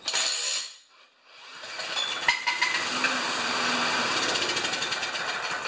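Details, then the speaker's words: Murray mower with Briggs engine: rough metallic clatter about three beats a second over running engine, a "death rattle" that owner says doesn't sound like a rod — internal engine rattle, cause undetermined. "it has the death grapple it doesn't sound like a rod"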